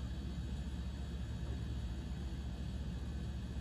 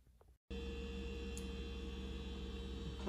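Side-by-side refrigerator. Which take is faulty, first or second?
first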